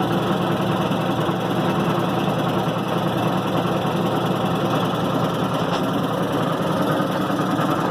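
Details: 1990 Maytag LA211 washer on spin cycle: constant loud rough groan with no knock or rhythm; belts, brake and the brake's bearing already replaced, cause still unknown.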